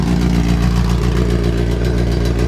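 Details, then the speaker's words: Honda CRX with a new heavier intake manifold and new-to-me injectors, no chip fitted so the check engine light is on; smooth, steady idle with a light clatter on top. Normal idle. "it starts off perfectly obviously with the check engine light but it sounds so much healthier at idle"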